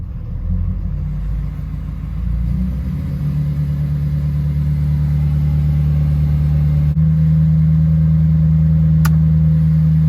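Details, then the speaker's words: 2013 Ford Powerstroke diesel (2011–16), high idle wired with a 22k ohm resistor to the factory aux switch, parking brake on: a deep, steady drone climbs smoothly to an even raised idle near 1200 rpm building about 3 lb boost, with no knock or miss. "so that resistor actually worked out perfect we're building about 3 lbs of boost there uh really good high idle really happy with how it turned out"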